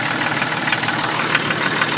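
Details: 1996 Jeep Cherokee at steady idle with a quick, even ticking knock low in the engine; owner thinks it comes from inside the oil pan, cause not confirmed.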